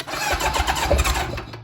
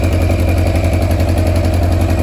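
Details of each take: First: Engine-swapped Kawasaki KZ1000 police bike, first start in many years, on choke, after fixing the spark (corroded pickup coils) and carb issues: brief starter churn, then a clean catch and uneven rev before settling. No smoke. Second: Kawasaki KZ1000 police bike, first start in many years after an engine swap, on choke: the inline-four idles with a light tick three or four times a second from small loose parts rattling, not from an exhaust leak as first suspected.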